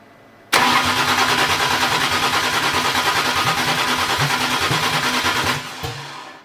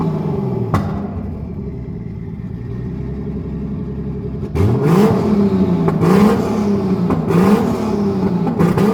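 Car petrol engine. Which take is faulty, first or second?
first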